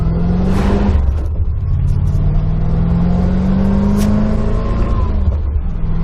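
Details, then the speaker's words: 1991 C4 Corvette V8 after new TPS and idle control valve, somewhat warmed up, driving, manual shifting: full-throttle acceleration climbs smoothly and strongly, no stumble or bog; plenty of power, difference from before unclear. "I don't know, guys. She definitely has the power, though, I can tell you that much. She definitely has the power."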